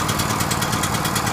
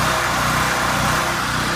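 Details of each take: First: Powerhorse generator small engine, first start after carburetor replacement, choke on, not run in over a year; loud uneven pulsing beat about eight a second with dull rattle, smoking hard, hunting and struggling to settle; rough running. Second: Powerhorse generator, gummed carburetor replaced with a new one after sitting two years, run to warm up: it revs before stabilizing, then holds a steady, even drone as a load is plugged in. Normal running under load.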